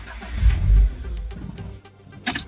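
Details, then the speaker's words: BMW E36 (OBD1) after a hot camshaft swap and new clutch, on a cold start: the engine catches with a brief rev, then sags and dies within a second with no idle. It runs normally under throttle, and the owner suspects a big vacuum leak. "I'm suspecting a big vacuum leak somewhere, because the car runs normal once you accelerate or drive. It just doesn't have an idle."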